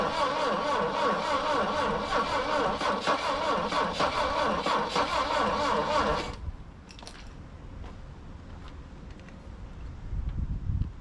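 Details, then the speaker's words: Saab Sonett III, start attempt after sitting in mud since 2012, distributor found loose so timing guessed, stuck valve straightened earlier: about six seconds of steady rhythmic cranking with no firing; owner suspects weak ignition, plug gap too wide. "come on come on she just not going to go almost wanting to go"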